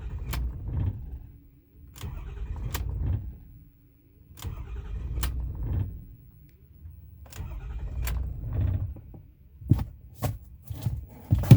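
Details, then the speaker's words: 2008 Ford F450 6.4 Power Stroke with intermittent hard start, filters, lift pump and fuel conditioning module replaced: several slow cranking bursts with pauses, catching only at the end; afterwards runs normally, cause undetermined. "so i think i'll probably get it started here it does this for a while and then it will start to behave and run normally"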